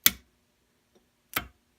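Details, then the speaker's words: Gravely 5865 with 16 hp Kohler K341, no-start traced to a rusty starter solenoid, energized directly with voltmeter on its output: two crisp, sharp clicks about 1.25 s apart as the plunger pulls in, giving only about 10 V out. "So if I hit this and energize it and we hear it click, it should put 12 volts out."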